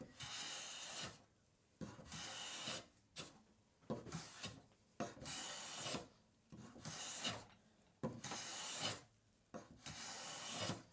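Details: Hand plane with cap iron set closer, waxed, planing kiln-dried ash with a big knot and reversing grain: repeated rasping strokes about a second apart, harsh and scratchy over the rough patch, yet the cut leaves no tear-out.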